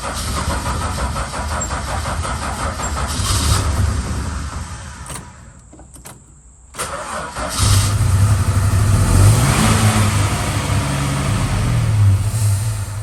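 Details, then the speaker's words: Valiant VH Charger with no choke, starting after starter work: long cranking with coughs and a short dropout before an uneven roar, popping back through the carburettor; owner reckons timing is out, possibly a vacuum leak. "okay so we're getting blow back through the carving it's not really starting that easy because it doesn't have it doesn't have a choke um i reckon timing's out and that's what's coughing back through the curvy"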